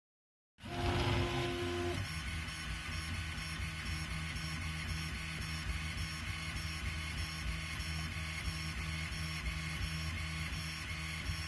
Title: Whining noise when printing